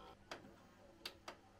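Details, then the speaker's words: Sharp VZ1500 double-sided direct-drive turntable (tonearm swings around to play both sides), tonearm motor mechanism: three sharp uneven clicks as arm moves, snagging and running slow; owner suspects the arm motor needs a new belt, unconfirmed. "Weird sounds are happening. I think this arm motor system needs a new belt. Or I hope it's a belt. Definitely running slow."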